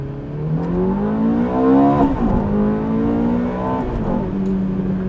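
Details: 2005 Ferrari F430 V8 with 23,400 miles, push started after a dead battery; strong V8 rising smoothly through the revs, clean crisp note pulling up and easing off; normal acceleration.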